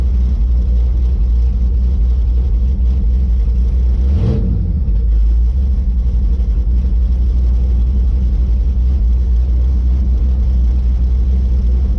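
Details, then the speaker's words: Red Chevy S10 V8 after MSD box ignition timing was retuned to cure a hesitation, not yet perfect: deep, even idle rumble with a steady beat, no stumble or miss. "I mean it's running good right now if I'm going to leave it alone I'm gonna leave it at that"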